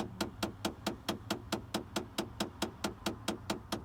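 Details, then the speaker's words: 2012 Dodge Caravan: steady sharp knocking about twice a second from inside the cabin when turning on AC or heat or changing airflow direction; failing rear blend door actuator, located under the rear trim panel. "when you turn on the AC or heat or uh change the direction of the airflow let's make it very nice like knocking noise that's the one motor in here for the front uh one motor in the back like actuator"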